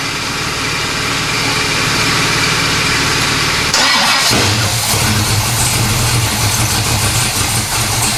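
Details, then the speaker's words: 1970 Pontiac LeMans 455 V8 with a Quadrajet, not run for a long time, fuel poured down the carb after a transmission rebuild: cranks several seconds, then fires and holds a strong, even idle with no misses. "so i think sounds awesome all right so it starts it runs"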